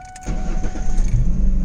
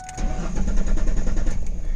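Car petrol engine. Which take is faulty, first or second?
second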